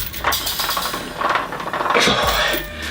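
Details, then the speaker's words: Spring-type chest expander during pulls: irregular light metallic clinks and clacks as springs stretch and release, happening only sometimes; spring coils knocking together. "can you hear the noise it's making? It only happens sometimes, but sometimes I'll hear sort of clacking noises, sort of metallic clinking noises."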